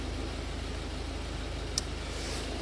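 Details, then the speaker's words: Ford Focus diesel, previously running on three cylinders, after replacing cylinder 2 and 4 injectors: steady, even idle with regular low pulse, no stumbles or shaking; idle now normal. "and it's not shaking itself to bits anymore. It seems to be okay in idle. Seems to be all good in idle."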